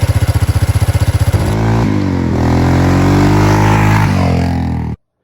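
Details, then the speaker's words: Yamaha ATV after resealing a leaking intake boot (lean condition) with gasket maker and clamp: even, steady putter at idle, then revs up cleanly and holds smooth with no stumble or surging; running normally after repair. "And I'll probably just leave the gasket on there, or the clamp on there. I'll probably just tape this out of the way, and as long as it's out of the way when I put the bolts in, that should solve it. Sounds good now."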